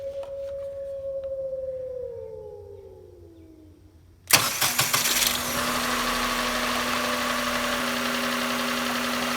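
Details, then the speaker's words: Rare project car started with the fuel pump jumpered: engine settles to idle with fast light ticking about three per second from the hood vibrating, not the engine; pressing the hood stops it. "Ticky Ticky Ticky yeah that's annoying but the good news is it's not coming from the engine for some reason the hood is ticking from the vibrations of the engine"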